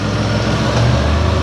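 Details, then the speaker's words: 2004 Ford Escape 3.0L V6 after head gasket, timing cover and oil pan repair, just restarted with battery previously disconnected, idle control relearning: steady low even hum, no misses or knocks; smooth and quiet. "nice and quiet it does take just a few minutes after you restart it uh for it to start learning the uh ID aler control"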